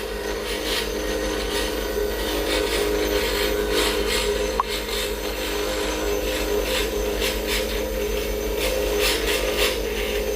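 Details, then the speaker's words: Lathe turning a square acrylic pen blank: over the lathe hum the chisel hits in uneven taps, three or four a second, instead of a steady cut, showing the blank is not yet round. "and that's letting me know that it's not completely round yet"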